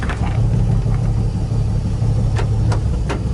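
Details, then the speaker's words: Nissan 350Z that was flooded and sat over a year, first run after wiring swap with mass air meter fitted, gas of unknown age: low, uneven hunting idle with sharp pops, no response from pedal, shuts off; owner suspects vacuum leak. "Not getting any out of the pedal. Nope, shuts right off on a vacuum leak."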